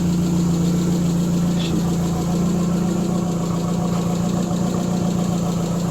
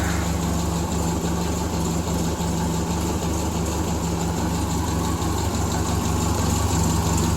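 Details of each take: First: Triumph Spitfire at warm idle, about 900–1000 rpm and slightly high as usual when warm: deep, even idle with no knocks or misses; normal warm idle. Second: Truck started after about a month, idle brought down, still cold while warming up: low, uneven idle with slight chugging and small dips in the beat; rough running until warm.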